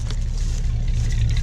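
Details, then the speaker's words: 1956 Pontiac V8 after sitting almost 40 years, recorded from behind at the exhaust, smoke cleared; deep even burble at idle, steady beat without misses or popping, before it ran out of fuel; normal idle. "oh shoot sound pretty good smoke cleared up give it a little throttle give it a little throttle"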